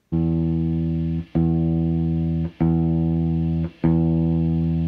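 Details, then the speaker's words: Sears Silvertone Twin Twelve 1484 amp, two 8-ohm speakers (4 ohm combined), after repairing speaker distortion: four even bass notes ring out cleanly and decay smoothly, no buzz or rattle. Clean speaker output. "low note no longer has that noise anymore so looks like I was actually able to get those speakers fixed and they sound pretty good on this silvertone c"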